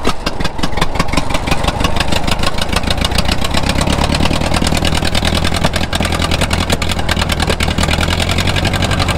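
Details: 1934 Allis Chalmers Model M crawler, 300 cubic inch four-cylinder, 85 years old, long unused; loud sharp exhaust cracks at a fast even beat, no missed pulses; runs pretty good without muffler, only the right track clutch apparently not releasing.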